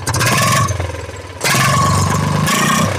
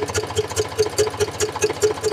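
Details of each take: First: Eicher 485 tractor diesel after fixing white smoke and hard starting: fires up after a few blips and settles into a steady, even chug with no top-end clatter, firing evenly where before it sputtered. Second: Eicher 485 diesel tractor with white smoke and starting problem: sharp even metallic ticks about five per second over the idle; valve tappet ticking, tappets tight.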